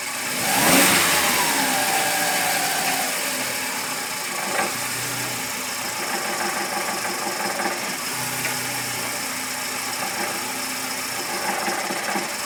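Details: VW Gol G5 bought new in 2010, engine noise since purchase that has worsened: running with light uneven ticking and faint whirring over idle; source unclear, not confirmed.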